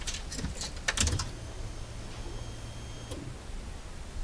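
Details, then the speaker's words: 1991 Honda Prelude with pump cover off, after fuel pump removal and strainer cleaning for revs dropping on deceleration: ignition on, low whirring hum for about two seconds then stops; fuel pump priming normally. "that's the pump running if i turn off the ignition and turn it on again we can hear the pump going"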